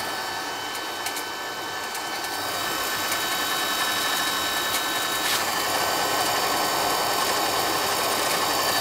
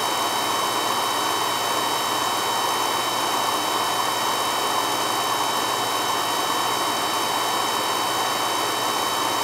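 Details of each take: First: Carlin EZ1 oil burner, poorly maintained, had locked out: hissing roar with uneven pulsing flutter about four beats a second, spitting and sputtering; suspected out of oil with air in the line, not confirmed. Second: Carlin EZ1 oil burner that ran rough, after a new 0.85 60° B nozzle: steady even flame roar with no pulsing or shudder; burner now firing cleanly and smoothly.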